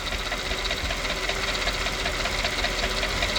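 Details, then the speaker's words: Mercedes-Benz W220 S430/S500 at idle before oil change with engine restoration kit: light rhythmic knock about two to three per second beneath serpentine belt and accessory whir; owner concerned, source unclear. "right, in the background, you should hear something going, knock, knock, knock, knock, knock, knock, knock, knock, knock, knock, knock, knock, knock, knock, knock."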